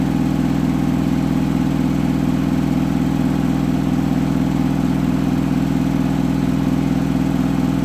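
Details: Hotpoint washing machine final spin at up to 1400rpm after a rolling bath sheet fooled the balancing and was thrown to one side: constant heavy thumping about three and a half beats a second over the motor drone, unbalanced load.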